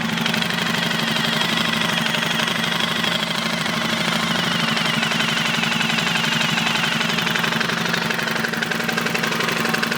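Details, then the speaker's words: 2005 Suzuki King Quad 700, warm, hard starting with blue exhaust smoke, microphone near the motor: busy, uneven tapping about four per second over a harsh idle; a knock somewhere in the motor, source not found, owner suspects a common issue with these motors. "so we got a hard starting smoke and blue smoke and there's a knock somewhere in the motor which from what I've read is absolutely really common with these motors"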